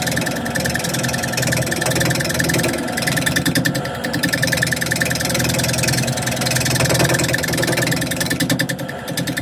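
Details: Wood display piece turning on a lathe, slightly off-centre: a quick, steady ticking about three times a second over the lathe hum comes from a split in the spinning workpiece.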